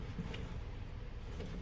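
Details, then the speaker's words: 2010 Volkswagen Jetta 2.5, new rear wheel bearing spun by hand while still loose; the old one had made a speed-dependent whoom-whoom noise when driving: only a soft, even low whir with no grinding; healthy bearing. "see, that's how it's supposed to spin. Quiet. Let me show you. You remember what the old one sounded like? Is the new one, even though it's loose. See how quiet it is? That's what it's supposed to sound like."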